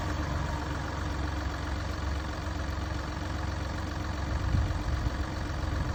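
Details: Mini Cooper D three-cylinder diesel idling: loose, uneven low rattle churning beneath the beat from a broken dual mass flywheel, which holds the clutch springs and fails through wear and tear; juddering after lifting the clutch is described.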